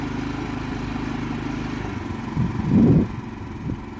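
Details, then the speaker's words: Harbor Freight Predator 3500 inverter generator on first start, at full throttle with the camera about 5-6 feet away: a smooth, steady low drone with no misses or knocks and one brief swell. It runs insanely quiet and healthy. "It's not going to bother you, especially if you're me, like a truck driver. You use that sound. This thing is insanely quiet."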